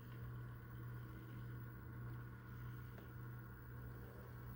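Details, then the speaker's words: Proto2K GP7 model locomotive after Digitrax DH165L0 decoder install, first test run: steady even low motor hum with no knocks, catches or surges; runs normally, still needs some break-in. "All right, so it seems to run okay. It needs to be broken in a little bit. But it does run."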